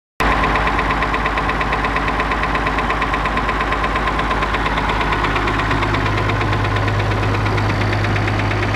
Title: Perkins T6.354 M engine knock